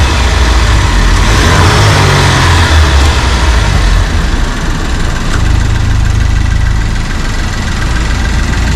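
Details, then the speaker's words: 2008 Pontiac Solstice GXP turbo, engine bay open, revved to hear turbo noise: deep, steady note swells with a couple of throttle blips, then settles, with no knocks or rattles; healthy turbo engine. "Eduardo, you want to give us some rev? Let's see, maybe some turbo noise."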